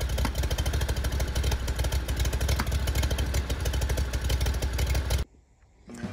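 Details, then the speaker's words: 2019 Ferris IS3200Z zero-turn mower, 37 hp Briggs & Stratton EFI with Delphi high-pressure fuel pump, about 1,500 hours, losing power on hills, backfiring at high idle: uneven stumbling beat about three pulses a second with popping, then cuts out; failing high-pressure fuel pump. "it's starting having problems losing power going up hills and today when I started it sounded like"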